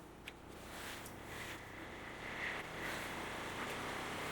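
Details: Box fan after being taken apart, cleaned and lubricated, plugged in and tested: an even airy whoosh with a faint steady hum and no ticking or scraping; the fan now runs smoothly and sounds healthy.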